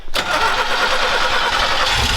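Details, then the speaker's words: Scrap-yard Chevy truck started after the radiator was filled: it catches immediately and settles to a steady, slightly lumpy idle from its aggressive cam; running good, no major issues. "sounds good it's got a cam in it so it's a little seems like it's a little rough but that's what we asked it for it's running good no major issues"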